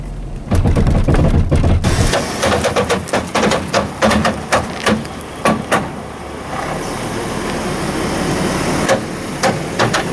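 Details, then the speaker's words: Chevy S-10 (1998 or 2003) in four-high, creeping through tight turn: sharp snaps and pops about three a second in bursts; no or intermittent 4WD complaint, mechanic suspects front axle, actuator or transfer case not ruled out. "Uh, like I say, with that snapping sound, it really sounded to me like the front axle."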